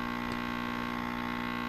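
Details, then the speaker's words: Tube TRF radio, volume at zero: steady low buzzing mains hum; suspected power supply needing another filter capacitor, heater-cathode short in the output tube less likely. "But you can hear with the volume all the way down the hum, and that's indicative of either a failing power supply or a heater to cathode short in a tube. Mainly the audio output tube, but I think it's a power supply issue. I think it needs another filter capacitor in there."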